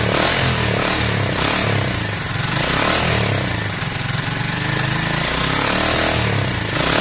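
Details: Lexmoto Valiant 125 converted from EFI to carburettor, original main jet and air filter on, air-fuel screw being adjusted; revs up and drops back slowly with an uneven, wandering idle between blips; revs hang, mixture not quite right.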